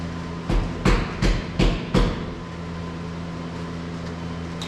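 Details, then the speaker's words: OBS Chevrolet Silverado truck that ran before sitting a long time: a few short, rough bursts of starter cranking, then a low hum, and it never catches. It is getting fuel (smelled after cranking). Owner suspects the ignition module on the coil pad, not yet spark-tested. "I would be willing to bet it's that module but I'm going to need help to figure that out"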